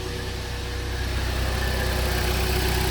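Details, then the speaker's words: 2014 Jeep Compass after no-crank no-start with P0600 and P0688, fixed with a used programmed PCM, codes cleared: smooth, even idle with steady low hum, no knocks, ticks or stumbles; check engine light off, healthy. "Okay, check engine light is gone, car runs."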